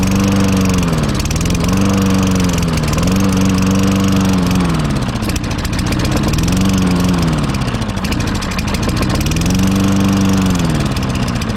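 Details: Toro Recycler GTS 6.5 hp mower rescued from the trash, no air filter, half-stale gas: after jet cleaning and gum cutter, revs hunt up and down every couple of seconds, never settling; carburetor jet and likely emulsion tube still clogged, needs full carburetor teardown.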